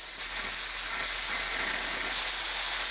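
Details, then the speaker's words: Miller 40-amp plasma cutter on compressed air with dryer, rated up to 5/8 material, 110/220 V: steady, even high-pitched rushing hiss with no sputter or breaks; cutting cleanly. "and the cuts on this thing become a lot cleaner and a lot nicer and what's really nice about machine like this man you just get close to it fired off"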